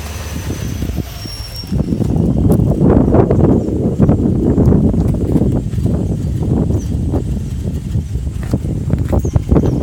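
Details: 2005 Subaru Outback XT 2.5 DOHC turbo flat-four after turbo replacement: lumpy uneven idle with ragged irregular beats, stalling and smoke; possible tumble valve problem suspected.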